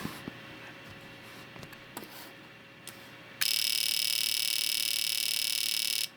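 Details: Known-good fuel injector driven by the injector tester after its broken circuit-board trace was repaired, battery-powered. A few stray clicks, then a rapid, steady chatter at about three to four pulses a second; the injector and tester work normally.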